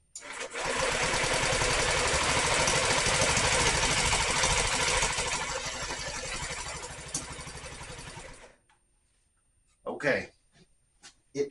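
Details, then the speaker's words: Honda Metropolitan scooter after fuel system cleaning and carb reassembly, spark confirmed, brake lever held, throttle open: fast even cranking with a short ragged catch before dying; won't run, fuel puddle underneath. "oh so close it's not it's not alive I failed there's a puddle of fuel under it but it kind of sort of wanted to a couple times"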